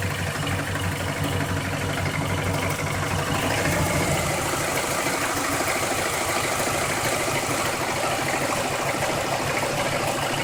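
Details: Car ticking from start to shutoff, owner suspects somewhere around the oil pan, something loose or the balancer: uneven light ticking roughly three per second under a steady idle; began two days ago, cause unknown.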